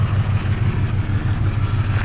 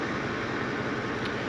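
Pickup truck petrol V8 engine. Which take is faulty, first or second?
first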